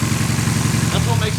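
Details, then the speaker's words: Toyota Starlet 4E-FE, over 300 hp, about a week after a new head gasket and studs: a lumpy idle down on one cylinder, with white exhaust smoke and a pulsing coolant hose; suspected blown head gasket. "oh that sounds disgusting sorry that sounds really bad yeah [Music] all right so it's definitely low on one cylinder"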